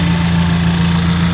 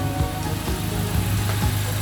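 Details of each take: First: Totaled Honda Civic Type R being revived, engine just started: smooth steady idle with firm low hum and no fan whoosh; radiator fans not yet on. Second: Honda Civic Type R turbo engine at operating temperature after a brief rev: steady, even low idle with a soft whoosh of the radiator fans, which have switched on as they should.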